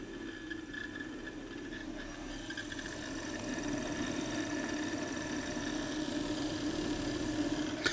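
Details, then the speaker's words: Brand-new MarsRock GTIL2000 grid-tie inverter with limiter, five days on the wall, low output on a cloudy day: whirring fan spins up with a thin high squeal and creaks on top; failing cooling fan. "can you hear that this is the sound of a Dying fan The Creeks and this is a braid it's a bright new inverter from Mars Rock"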